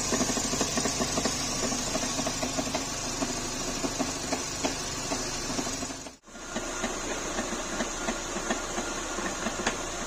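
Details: Renault K4M engine: sharp, regular tapping about two or three times a second over a steady idle; an abnormal knock in the engine, source unclear.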